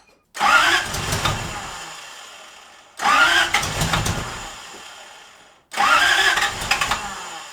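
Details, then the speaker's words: Toyota 1UZ V8 swapped into a 1989 Toyota pickup, first start attempts; three short ragged cranking bursts that never run; misfiring on half the cylinders because one ignition coil was unplugged. "think i found the issue one of the coils wasn't plugged in so it was only kind of firing on half the cylinder"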